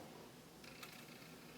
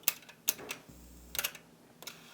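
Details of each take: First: Yamaha KX-W262 double cassette deck, one faulty deck: pressing play gives faint whirring and a sharp click as the transport shifts into fast-forward or rewind instead of play; mechanism not engaging play. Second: Yamaha KX-W262 1990s double cassette deck, deck B that was eating tapes: crisp clicks then short low motor hum as the transport engages; now catching properly, loose connector or solder joint suspected.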